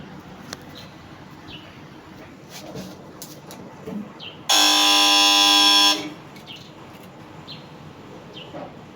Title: If your AC compressor is making a loud noise but still cooling